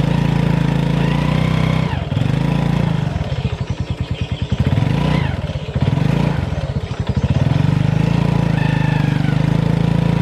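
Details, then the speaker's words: Honda Revo FI motorcycle lacking power, climbing a board ramp in first gear: engine drones and surges under throttle without pulling, louder droning when revved hard; cause suspected but not confirmed. "Pakai gigi satu nanjak segitu yo. Itu enggak kuat saya gas. Oh, malah ketika saya gas kencang di situ malah makin bunyi di mesin ngu kayak gitu."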